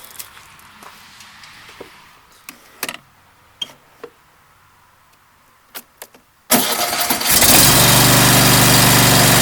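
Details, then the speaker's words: Cub Cadet LX42 mower, Kohler engine, after replacing the starter: faint clicks, short crank, catches into steady even idle; new starter fixed the no-start. "starts I'd say that fix the problem thanks"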